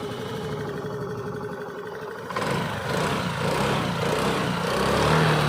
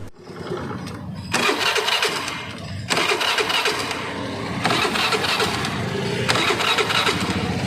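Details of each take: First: Honda Activa 5G scooter, factory Denso-type CDI: quiet, then fires on a single touch of the self-starter and settles into a smooth, eager rev with no stumble or misfire; normal start and revving. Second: Honda Activa 5G scooter, crank no-start: starter spins in short bursts that cut out and restart, engine never catches; HT coil current comes intermittently, ignition spark fault from wiring harness problem.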